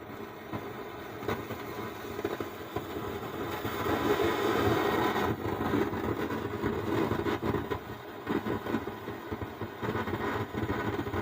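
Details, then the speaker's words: Stranger PBT501 (PVT5) amplifier opened on the bench: constant rushing, storm-like roar that swells and fades, present with volume off or up. Amplifier roaring noise. "देखा दोस्तों कैसे आवाज है जैसे तूफान की तरह आवाज है तो यही प्रॉब्लम है"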